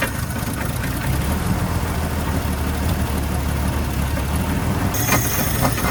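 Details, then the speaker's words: 1970 Ford Maverick after carburetor rebuild with accelerator pump, vacuum advance and fuel line reconnected: low idle, possibly richer, with uneven stumbling beat and dropped firing pulses; still misfiring at idle. "Maybe idle a little bit richer. Now we have an accelerator pump. So we should be able to press the gas and not die. Still misfiring some."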